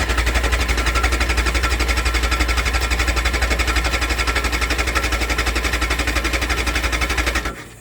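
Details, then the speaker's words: Yamaha ZL600 motorcycle, choke on, which ran a few seconds then cut out: rapid, even starter cranking about four beats a second for seven seconds, never catches. Cranks but won't start; carbs suspected. "that's all i get out of it so nope i can't even get it to start well it was starting"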